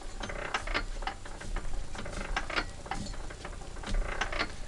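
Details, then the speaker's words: Petter A1 engine turned over after water got in and scored the bore: irregular scraping clicks with a grind catching at one point on the cylinder. WD-40 reduced the noise to that point. It needs a new bore. "I have cured the noise down to a point on the cylinder."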